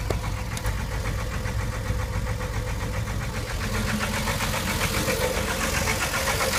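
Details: 1989 Jeep with Renix 4.0 six-cylinder, idling: a steady, sharp engine knock, three to four raps a second; the engine is to be replaced.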